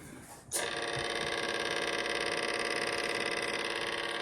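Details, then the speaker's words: Crosley Cruiser belt-drive turntable: the motor starts with a thin, buzzy whir and a steady fast chatter about three times a second. The platter spins on a greased plastic hub with no bearing, and the chatter transfers into the record. "it makes all sorts of rattling sound um you ought to hear the motor when we turn this thing on it's just raise a hoop"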